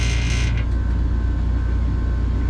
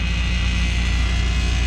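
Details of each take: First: Johnson Controls water-source packaged heat pump mounted in a ceiling, serviced for not cooling (thermostat 66, room 79°F): smooth even low hum with faint steady tone, no rattle; runs quietly. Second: Johnson Controls water-source packaged heat pump in a ceiling, running after drain blowout: steady low hum with a buzzing edge from two metal panels touching; fixed by placing something between them.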